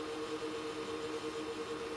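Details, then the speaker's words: Supermicro X9DRH server in X-Case RM 200 Pro with 80 mm temperature-controlled fans, loading an OS: low steady fan hum, no rattle or grind, mostly CPU coolers not PSU; quiet, normal. "and as you can probably hear it's very quiet the noise in fact is coming more from the two coolers than it is from the Redundant power supply fitted here or the 480 your fans"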